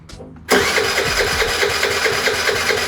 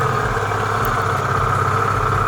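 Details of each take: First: Piaggio Vespa 50 LX scooter: about seven seconds of steady, even starter churning that never fires; no fuel visible in the vacuum-fed fuel hose, fuel not reaching the engine. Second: Restored Piaggio Vespa 50 LX two-stroke scooter, first cold start after carburetor setup, no throttle: starts easily and settles into a steady, even buzzing idle with no misses or knocks while warming up; normal warm-up idle.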